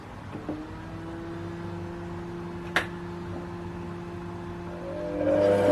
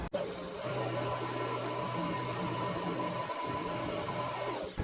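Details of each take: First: Mini lathe after fitting two steel gears for a left-hand single-point threading adaptor and gluing on a cover: even motor whine and steady low gear hum, no scraping or rubbing; only the gear noise that was there before. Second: Mini lathe facing and drilling a part, after spindle bearings had been making noise: smooth, steady low hum with an even cutting hiss, no knocking or chatter; ran much better.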